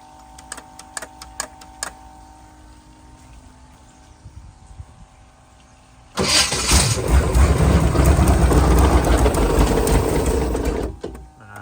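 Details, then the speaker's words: Sleek Craft jet boat 454 V8, first cold start after sitting for years: a few clicks, then it fires at about six seconds and runs loud with a rough mechanical clatter under the exhaust; noise suspected in the bell housing, not confirmed. "The biggest problem right now is in the bell housing there."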